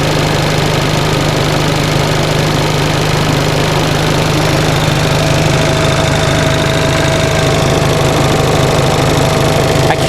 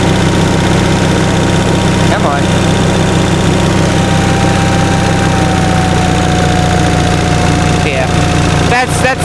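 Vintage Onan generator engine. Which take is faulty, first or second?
second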